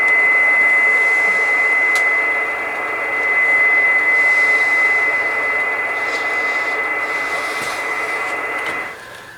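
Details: Kenwood TS-520 on 20 m upper sideband, dial near 14.250, heater switch off, shielding covers back on, fed a generator test signal; clean steady high tone over faint hiss; normal reception of the test signal.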